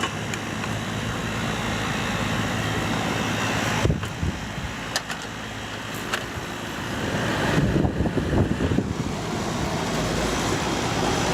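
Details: AC condenser after fitting a new contactor and capacitor: steady low hum of compressor and fan, even with no buzzing or chatter under outdoor noise; unit running normally.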